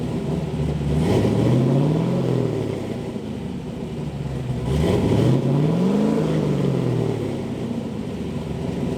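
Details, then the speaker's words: LS V8-swapped Mazda Miata with bigger cam, fully warmed up; deep smooth V8 rumble swelling with two gentle throttle blips and settling evenly, no knocks or misses; healthy engine revving. "she's all warmed up now so i'm gonna give you guys a taste of a little bit of a round"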